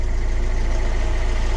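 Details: 2006 Mercedes Vito diesel van, sat about 6 months, after replacing alternator with seized pulley that caused no-start: steady low diesel clatter at idle, even pulses, no hunting or rattles; idling normally with alternator charging.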